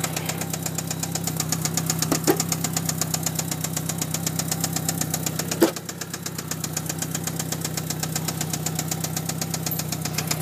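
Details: 1997 Mitsubishi Eclipse GST at idle: quick, sharp ticking about four per second over a low steady hum; knocking/ticking noise, cause unknown.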